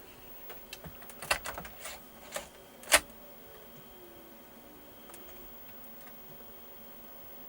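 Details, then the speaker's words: Commodore Amiga A600, bought untested and long unused, on first power-up: the floppy drive gives scattered soft ticks and clicks with no steady loading sound before the disk finally reads. The owner thinks it had just not been used for so long. "because i can hear it doing the little judging sound ah there we go i guess it's just not been used for so long"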